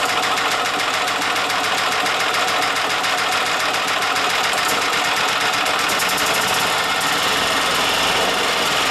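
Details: Yamaha G2 golf cart after carburetor, air filter and spark plug tune-up; steady fast starter chatter, about three and a half beats a second, no catch while piston-driven fuel pump primes.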